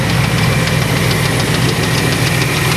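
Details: 1994 Chevrolet Astro van engine; rapid steady knocking riding over a rough idle, present with the accessory belt on or off, so a top-end knock of unknown cause that the owner plans to chase from the upper end first.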